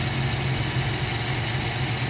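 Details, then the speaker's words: 1994 Toyota 4Runner 3.0 V6 EFI idling after fixing a vacuum leak at the PCV hose: fairly even low idle hum with only slight pulse, shaking much less than the earlier rough start. "now press this little handy button see the idle is a little bit better there's not shaking as much there you go there you have it this little thing this hose makes a big difference"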